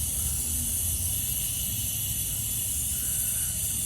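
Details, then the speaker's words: Freightliner M2 106 truck, engine off: steady faint high hiss of compressed air leaking at a brake airline fitting over low background rumble; touching it changes the noise. New fitting holds; the fitting behind it is suspected, possibly not pushed up far enough. "This one just seems pretty obvious because you just touch it and it changes the noise of the air leak."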